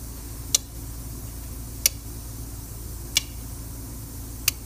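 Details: Hard-starting diesel truck (not a no-start; starts all right when plugged in), injector buzz test: sharp single clicks about every 1.3 seconds over quiet background, firing each injector in turn; number five gave no buzz, used injector suspected.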